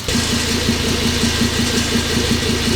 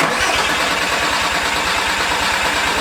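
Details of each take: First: Turbo 07K five-cylinder swapped into Porsche 944, first start after prolonged cranking to prime oil pressure, no coolant fitted: steady smooth low idle with no knocks, much quieter than previous engine; normal idle. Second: Porsche 944 swapped with a turbo 07K 5-cylinder, first start after the build, no coolant yet and oil at about minimum; steady starter cranking with no firing to prime oil pressure.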